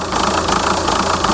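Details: VW Touran 2.0 TDI 136hp (AZV) diesel: rough, uneven unstable idle with low-rpm power loss and no fault codes, still present after replacing EGR valve and throttle body; owner suspects EGR cooler, head gasket or fuel pump.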